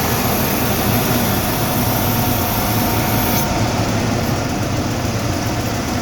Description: I am trying to find out what the ticking sound is. It seems to be coming from the drivers side of the engine.